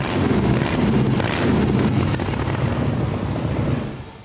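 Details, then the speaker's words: Supercharged Volkswagen engine (blower) after major problems were fixed: a strong, steady, clean roar with no popping or backfiring, holding before winding down; healthy normal running. "There's no backfiring. There's no nothing, but a much stronger running, you know, clean sounding engine."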